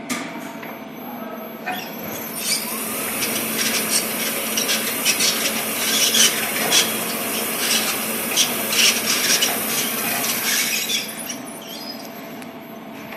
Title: Strange noise. LEO drive unit